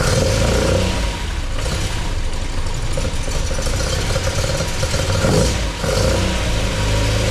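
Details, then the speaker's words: MGB with a newly installed Weber 45 DCOE carburettor (new jets, float height set, top off), first run and not yet warm. A deep engine note picks up cleanly on each throttle blip and drops back to a slightly uneven idle; very responsive, running well. "And it's very responsive. So, yeah, wow. That sounded really good, actually."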